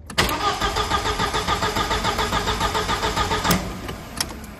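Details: 1999 VW Passat 1.8T petrol estate: starter cranks with steady even beats, about three or four a second, but never catches; scanner flags the main relay, fuse reading only 1.5 V instead of 12 V.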